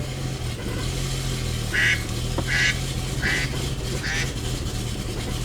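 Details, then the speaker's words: 2011 BMW 335i N55, started just after oil filter housing and oil cooler gasket replacement and a new tune flash: low lumpy, uneven idle with recurring chirps and a check engine light; rough idle traced to clogged VANOS solenoids. "I gotta wait 30 seconds and we're gonna start up the car and see what happens. Sounds and feels weird. Let's see. Oh, check engine light."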